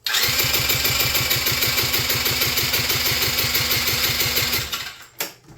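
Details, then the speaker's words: Quad (ATV) that won't start, suspected lost spark, choked and given ether: steady starter churn at about three compressions a second with no firing; valves and piston move but no compression found. Cranks but will not start. "valves moving they're definitely both moving the Piston is moving but we have no compression interesting"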